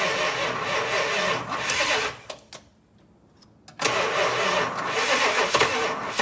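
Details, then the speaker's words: 1965 Chrysler Imperial LeBaron, abandoned over 20 years: sluggish, uneven cranking that sags, stops, then drags again; battery dying fast and getting hot, owner suspects something else too as engine feels tight. "oh she's trying man that battery is just wow"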